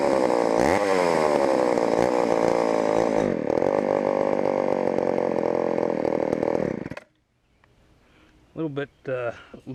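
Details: Auction-bought Homelite Super XL chainsaw first start on secondhand non-ethanol boat fuel: high two-stroke scream surging and wavering before cutting out; lean on the bottom, needs carb adjustment or diaphragm to soften.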